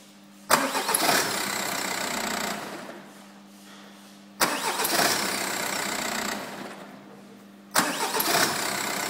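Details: VW diesel car starter motor after repair (stripped mounting bolt threads repaired, worn brushes replaced): three clean crank bursts of two to four seconds each, no disengagement screech.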